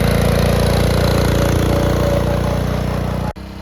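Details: 1962 Bolens Ride-a-matic garden tractor on an outdoor drive after restoration: even, steady engine beat with a firm low drone, no knocks or misses; healthy and running smoothly at different rev levels.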